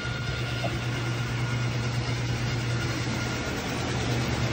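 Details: Old-style Whirlpool washer with agitator: steady low drone with a rough, uneven rattle and grinding while agitating. Owner suspects the pump; not confirmed.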